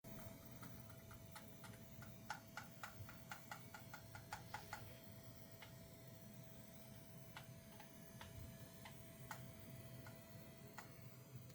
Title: MSI Vanguard 5090 coil whine problem 2